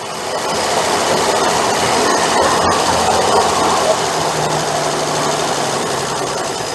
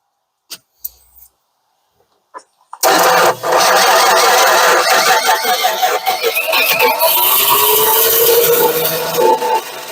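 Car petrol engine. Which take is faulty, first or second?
second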